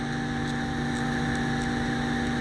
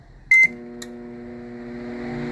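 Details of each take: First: Electrolux MF41 31-litre microwave after replacing an oversized, wrongly fitted transformer that made a heavy noise and hard start: smooth, even mains hum, constant pitch, no buzz; transformer running normally, problem solved. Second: Electrolux MF41 31-litre microwave, opened for repair, running and heating: beeps, then a steady heavy hum with strong even tones building slightly; an oversized transformer droning far too loud, to be swapped for a smaller one.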